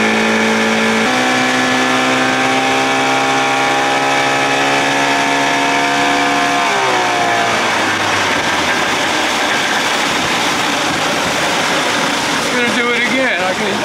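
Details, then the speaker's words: 1979 Evinrude 55 hp outboard, original carb refitted, reeds inspected, in neutral: high steady buzzing idle that sags into a rough, uneven run. High idle surge; owner suspects float needle not seating and sucking gas. "tell by that noise float needle not seating sucking gas"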